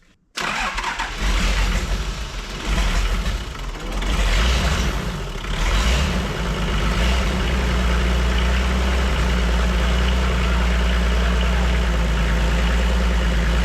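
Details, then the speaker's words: Toyota 2H diesel from an HJ47 wreck, after the stuck-closed injection pump rack was freed; brief crank, then it catches at once and settles into a steady, even, low-rumbling idle; starting and running normally. "well we worked it out didn't we we did and we said it would run and it has"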